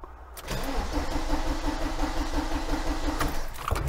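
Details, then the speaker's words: 1987 VW T3 camper with TDI diesel after compression test, fuel pipes refitted: starter turns the engine steadily about three times a second but it never catches, because the fuel cutoff solenoid was left disconnected. "ah i forgot to reconnect the bloody uh fuel called our solenoid right we'll try that again shall we"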